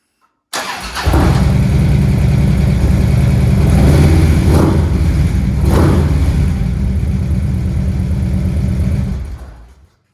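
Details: 2012 Harley CVO Road Glide FLTR after Feuling lifters, S&S Quickie pushrods, inner cam bearings and a Thundermax EFI module were installed; started after three key cycles. It fires quickly and settles into a steady, even V-twin idle with no top-end ticking or knocking.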